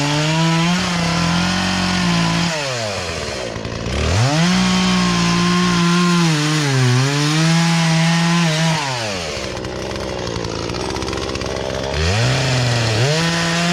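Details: Poulan Pro chainsaw that sat unused in a barn for three years and never ran right, after low and high carburetor adjustment with a tool kit: revs up crisply, pulls down smoothly into wood, recovers cleanly between cuts without stumbling; normal cutting under load.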